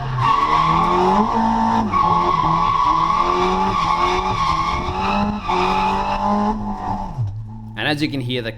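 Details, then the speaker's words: Drift car with a CA engine after a new fuel pump and a dyno retune (140 kW), on a track day; the engine climbs and falls cleanly through the revs to redline under tyre squeal, pulling smoothly without stumbles, so it is running healthy. "car sounds so much more happy with the uh with the new fuel pump and that retune. It was just on song."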